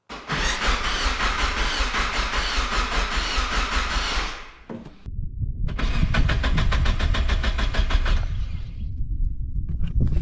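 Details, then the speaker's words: NB Miata starter after upgrading to a bigger power wire, battery fully charged and driven a week, in winter with stiff oil: quick, brisk cranking catches within seconds, a second start fires promptly; normal starter cranking and start. "It wasn't a whole lot faster, but after getting a full charge and driving it for about a week, it's different."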